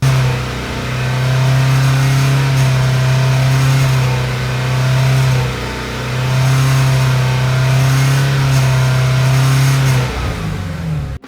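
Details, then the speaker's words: Ford Shelby GT350: loud steady low buzz from engine only between 3,800 and 4,200 rpm above 215°F engine oil temperature, with a brief dip; forums point to the rear cylinder block plate, not yet confirmed. "so that was the noise on the shelby gt350 that i was experiencing exactly between 3 800 to 4200 rpm right above 215 degrees engine oil temperature"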